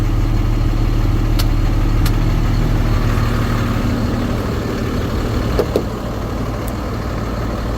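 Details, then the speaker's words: 2013 Ford F-750 Altec bucket truck, 6.7L Cummins turbo diesel, 72,000 miles, idling with the PTO activated to run the boom hydraulics. A deep even idle with a steady low rumble and a few light clicks. Sounds normal. "All right, what we're gonna go ahead and do, activate the PTO. Activate the PTO."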